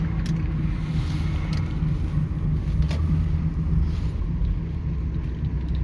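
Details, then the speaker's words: 2009 Toyota Sienna FWD 3.5 V6 coasting off the gas: deep, low rumble with a slow wobbling pulse, which the owner attributes to a bad front wheel bearing, thought to be on the passenger/right side. "So if you hear this noise or wobbling sound in your vehicle, uh that's definitely the whee"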